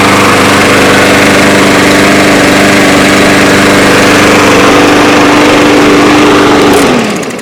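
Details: Yard Machines mower with a newer Briggs single-cylinder engine, after plastic carburetor work, rewound starter spring and fresh gas: steady, even high idle at a constant pitch, then winds down smoothly when shut off; normal running.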